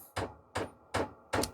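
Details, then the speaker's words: Vevor 8 kW 12 V diesel parking heater during first-start priming (code 050): dosing pump ticks sharply about every 0.4 seconds, pumping diesel through fuel lines to purge air; normal, blower follows. "when you have started this Prime priming process you will hear the pump started ticking it will started to pump diesel through the fuel lines and that will get all the air out of the fuel lines as I said it start ticking"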